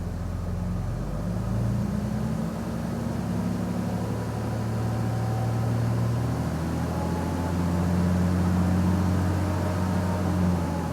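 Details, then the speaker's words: Ram diesel with new fan clutch after warm A/C and high idle coolant temp, A/C on, revving: deep rumble with fan roar building; normal fan clutch engagement. "and not long after that you hear the fan just wind down and it's more or less coasting after that so that is normal operation"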